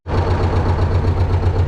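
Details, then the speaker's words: T-16MG self-propelled chassis diesel cold-started at −10°C using the decompressor and clutch pressed: deep, even low thrum with steady pulses and no knocks or misses, a clean start and healthy idle. "well, and as you can see, we started without any problems, let it work a little now and we will go out"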